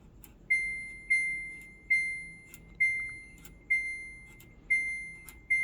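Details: Samsung Ecobubble 8 kg washer, after replacing the front control board to fix random pausing and the UC error: crisp high-pitched beeps about once a second in a quiet room, the normal power-on chime of a working unit.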